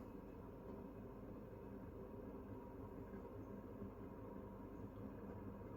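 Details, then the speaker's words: Panasonic FV0811RF2 bathroom ventilation fan, newly installed in a 1960 house, running on the higher setting: soft steady airflow whoosh over a low even hum, no rattle or wobble; significantly quieter than the old fan, normal quiet run. "so that's significantly quieter than the old one that was in there"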